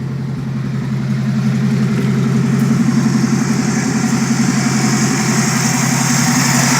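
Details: Chevette fitted with Keihin CV motorcycle carbs, after reseating tilted parts to fix vacuum leaks; dead cold start idle, steady slightly lumpy pulse holding speed without stumbling, a little wobbly but acceptable AFRs: normal idle.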